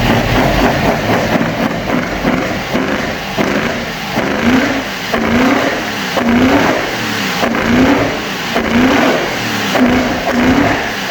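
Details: Opel Manta hatchback with Ascona front end, first start after about 20 years sitting, camera at the front; uneven, stumbling run with lumpy beats about once a second and wavering speed, a little missy: misfire, cause unconfirmed.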